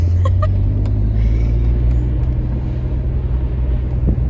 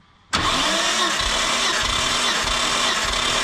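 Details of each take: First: Nissan Skyline R32 GTR with twin turbos on its first drive at about 50 km/h: deep, heavy drone with a few sharp early ticks and no spool whistle. The boost gauge shows no boost, and the owner suspects a large leak and an exhaust leak. The engine works hard and revs slowly. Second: Nissan Skyline R32 GTR cranked by the starter with coils and spark plugs removed for a compression health check. It makes a steady whir with an even pulse about every half second, showing evenly matched compression.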